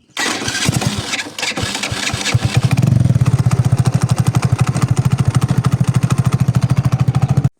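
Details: Motorcycle engine running with a fast, even clatter of about three knocks a second from inside the right-side cover, caused by a loose clutch nut. This is before the cover is removed for repair.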